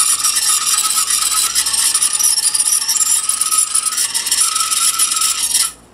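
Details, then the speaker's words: Panasonic RX-5110 boombox with noisy controls: harsh, scratchy crackle while the volume knob is turned, stopping when it stops; a dirty, worn volume control. "the volume is messed up on mine just like it is on your little video"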